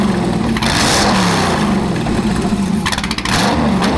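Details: Chevy LS1 V8 of about 500 HP from an old Camaro racecar, going into a 1977 Hawaiian jetboat, first run after 10 years in storage at about 100°F: idles on its own but dips and stumbles unevenly; needs tuning.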